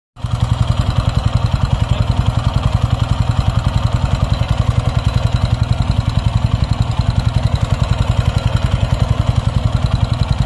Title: TVS Ronin 225 Tappet noise (Engine noise)